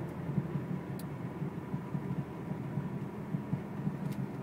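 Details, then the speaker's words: Cobalt SS driving on a smooth road: soft low thud repeating a few times a second from the passenger-side front wheel; owner suspects a drivetrain noise, cause not yet found. "Sounds like it happens like a few times a second, like doom, doom, doom, doom, doom. And that is not me going over any bumps. This is a smooth road right now. But I can hear it knock. It's like a knocking noise."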